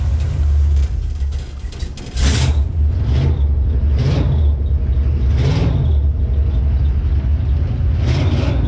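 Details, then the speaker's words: Jeep J20 V8 running after Holley Sniper EFI install, with new starter, while the EFI is still learning: deep, steady rumble with a few brief surges as idle settles; running smooth and even. "here we [Music] go yeah she's running good she's running really [Music] good"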